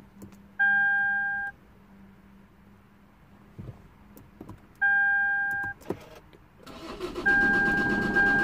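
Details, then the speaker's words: 2008 Lexus IS220d diesel, neglected, battery-drain car after alternator replacement, battery on charge: two dash chimes then starter cranks steadily but engine never fires; crank no start, key not detected, flat battery or similar suspected. "it's cranky okay it didn't start okay because either the battery is flat or something along those mines"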